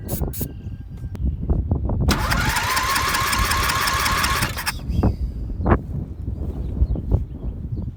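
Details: MTD lawn mower being built into an off-road mower: starter whirs for a few seconds and the engine turns over but never catches, only scattered clunks after; cranking with no spark, spark later returned after parking brake and headlight wire changes.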